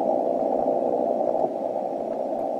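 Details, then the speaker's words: 160 m receive setup: steady hiss around 300–900 Hz appears when the rotator cable wire is connected and vanishes when disconnected, about one S-unit of common-mode noise, later tackled with toroid chokes. "now if I connect the wire here you'll hear the noise and I disconnect the wire and the noise goes away"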